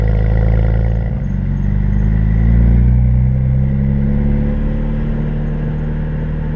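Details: BMW 335i accelerating at wide open throttle through the gears, before repair: a rising engine note that stumbles and pops unevenly, with misfire and backfire from failed ignition coils and spark plugs; replacing them restored normal performance.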